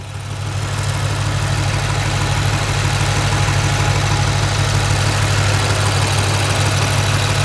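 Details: BMW N63 engine after drivetrain malfunction repair where a hose was the fix; deep even idle hum, no stumble or missed beats; normal idle.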